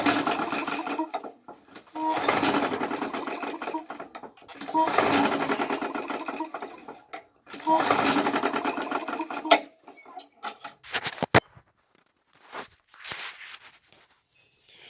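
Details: Briggs and Stratton 550EX 140cc pull-start engine after new sump gasket, spark plug, air filter, flywheel key, primer, and carburetor and tank cleaning: four brief chugging turnovers that die with no firing; cranks but no start.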